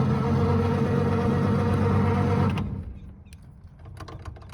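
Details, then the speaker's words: 1936 Ford Deluxe Fordor Sedan, original flathead V8: even starter cranking about four beats a second, never firing, because the ignition was left off. "oops i forgot to turn the ignition on see this is what happened you got to remember the whole procedure for starting it"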